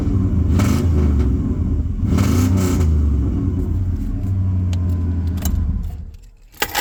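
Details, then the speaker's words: V8 truck with new headers, Thrush 28-inch glasspacks and suspect catalytic converters: revs rise and fall with a loose flapping clatter in the exhaust around 2,500 rpm; owner suspects a blown or clogged cat, planning high-flow cats and an X-pipe. "But with both the high flow cats in it and the xpipe, it should get rid of this clappy noise at around like 2,500 RPM."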